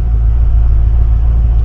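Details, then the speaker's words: 1972 Mercedes-Benz 280SE 4.5 V8, cold start after right-bank valve adjustment for tappet noise, in park: deep, steady, even idle at 1,000 rpm with no knocks or ticks; normal cold idle. "Sitting at 1,000 RPMs, which is where I like it."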